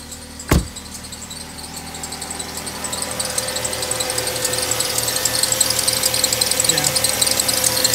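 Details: Ford Fusion with P2004/P2008 intake runner codes and high idle revs: fast uneven ticking and a high chirp growing with revs, water pump suspected at first, found to be a dry accessory pulley bearing: dry tensioner pulley bearing.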